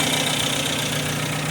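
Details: Freshly rebuilt MG TC XPAG engine, cam already broken in: smooth, even idle at 600 rpm with 40 psi oil pressure, steady beat and no knocks or misses. Normal idle.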